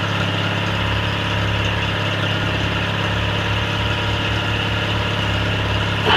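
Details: Cub Cadet 782 garden tractor with rebuilt 42-inch snowblower, started after sitting a couple days: steady even idle, smooth low thrum, no knocks, misses or rattles; engine healthy.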